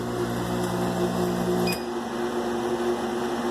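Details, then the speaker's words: 50W Chinese laser engraver with an Arduino safety system: once air pressure returns and the laser is not running, the air-assist compressor hums steadily for under two seconds, then shuts off cleanly. The alarm clears, a normal cycle. "not running we don't need the compressor so the compressor will turn on per second and then it'll turn off and the alarm will clear"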